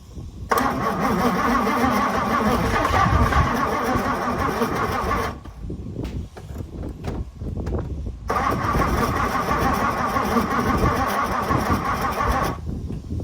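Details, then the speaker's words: 1964 Ford Thunderbird, 390 FE big block, sat since 1998, after checking the cap connection and adding fuel with two-cycle oil; rhythmic cranking with a few sharp pops, never catches; owner thinks it needs more fuel. "man she started to pop off there I think she just needs a little bit more fuel Maybe"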